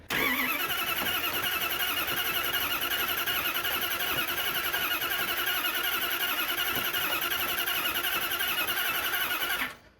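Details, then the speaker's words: Freshly installed healthy-sounding new starter cranks steadily and fast for nearly ten seconds with no firing; carburetted engine unprimed, no ignition spark while cranking; owner suspects a disconnected or miswired ignition wire under the hood. Crank, no start. "so when the key is cranking the starter um you should be getting uh ignition spark it is not doing that"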